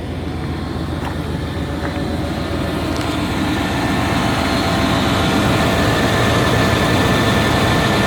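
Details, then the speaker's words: Chevy Tahoe V8 idling after start, good oil pressure, no smoke: fast regular ticking pulse about 220 per minute over rumble; owner suspects exhaust leak, finds catalytic converter removed underneath. "what i was saying there i was saying that the exhaust is it sounds like it has an exhaust leak so i'm going to crawl under here real quick and see if i can see what's going on"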